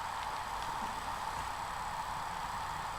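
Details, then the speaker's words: Laptop hard drive in an external enclosure after freeing stuck heads from the platters: steady, even high whine with no clicks or buzzing as platters hold speed; drive detected at 232 GB and working, normal spin-up. "so let's turn it on and hopefully it will spin up oh my goodness there it is"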